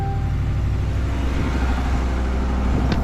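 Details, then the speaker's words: Rolled-over auction 2024 Chevy Silverado with 6,300 on the odometer, just fired up after sitting upside down: steady, even low idle rumble with no knocks, misses or whine; heavy smoke likely oil in cylinders from rollover, runs well. "Smoking like crazy, but sounds pretty good. But it probably had a little bit of oil in the cylinders from rolling over."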